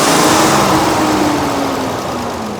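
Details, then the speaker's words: Cummins diesel work truck used for towing trailers, after replacing leaking exhaust manifold: steady smooth idle, no ticking or puffing; normal idle after repair. "Aha, much better. Sounds great."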